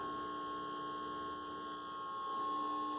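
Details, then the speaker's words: Calrad (possibly Seiko) 7-tube AM/FM radio after new 12BE6 and BA6 tubes, FM section: only steady low hum and faint thin tone, tiny IF signal at the selector; IF cans appear turned far out of alignment, to be retuned at 10.7 MHz. "The selector and I got a very tiny little IF signal there."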